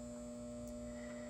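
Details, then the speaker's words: Halco/ProLume 70W high pressure sodium bulb, old, about 95% of sodium leaked from arc tube, cycling: loud constant ballast hum; ballast still fairly noisy, meaning the lamp is still keeping its arc on. "So the ballast is still somewhat noisy, meaning that this lamp still is going to be turning on and keeping itself on."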